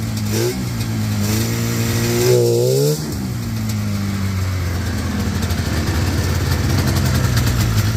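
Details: Yard-find Polaris 500 Indy snowmobile on a makeshift fuel system: two-stroke note climbs briefly, then drops back to a lumpy idle; it idles but will not hold throttle.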